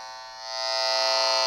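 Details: Noise tracer amplifier probe held near a wall dimmer switch: a harsh electrical buzz with a high, rasping edge swells louder as the pickup nears; interference radiating from the switch, cause suspected, not confirmed.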